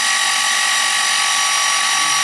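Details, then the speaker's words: Toyota 1UZ-FE V8 for a Lamborghini kit car, Link Monsoon ECU, cranked with spark plugs out: even, high-pitched whirring as the starter spins the engine freely with no firing; oil pressure reaches 400 kPa, judged enough. "400 kpa i think that's enough yep yep yep let's put some spark plugs in and make them go"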